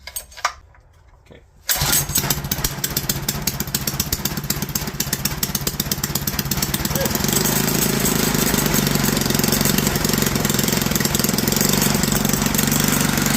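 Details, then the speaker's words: Clone GX200 196cc 68mm mini bike engine after new plug, retorqued head bolts and checked float: catches then runs rough and uneven, never settling; owner suspects bad cylinder head and valve seats. "the real reality is I should have taken one look at that head and known it was roached"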